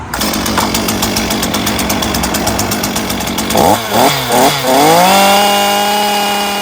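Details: STIHL MS 212 chainsaw, 38.6cc 2.4 hp two-stroke: howls at steady high revs, dips through a few blips, then settles into a clean, even tone; healthy, normal running.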